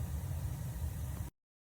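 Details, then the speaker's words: Burnham Hydronics Independence low-pressure steam boiler, model PIN5SNI-ME2, built 06/2008, during safety system walk-through: after pilot clicking, the burner lights with a short, steady low roar and no popping, surging or flutter; normal clean firing. "Yeah, you can hear the fire and you can maybe even see I don't know if you can see it, but there's there's fire happening now."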